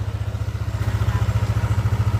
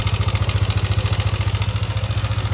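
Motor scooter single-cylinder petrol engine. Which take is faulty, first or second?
second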